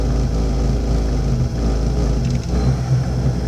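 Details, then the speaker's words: Webasto ThermoPro 90 diesel furnace, about 4 A run current, burner slightly dirty: fuel pump ticking, fan starting, steady drone dipping as the glow plug draws current and lugs the fan; normal start-up, fired right up. "okay you may be able to hear the fuel pump going tick tick tick tick fan starting there's the lugging because of the glow plug starting"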